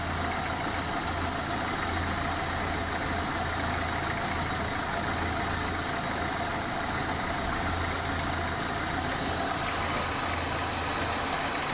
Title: Не понятный стук в двигателе.